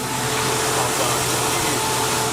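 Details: 1999 Jeep Cherokee Sport, AC on max, after PB Blaster was applied to the AC compressor that was causing the squeak: a steady whoosh with a faint even hum and no squeak or chirp. Compressor and belt are running quietly and normally.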